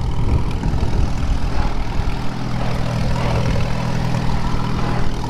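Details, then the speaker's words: 1939 Farmall H tractor, repowered, first test drive checking the rear end in first gear: low, steady engine drone under light load with no grinding or clunks; sounds normal. "all right so first gear yeah that ain't too"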